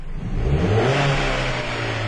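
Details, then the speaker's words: 2010 Chrysler Sebring with intermittent severe low power: on tip-in the revs climb from idle with a wobble and a delay, a stumble and hesitation at low rpm but responsive at higher rpm. A vacuum leak is suspected. "a little bit of a stumble and there is a delay get it again there when it's already at higher rpms it's very responsive"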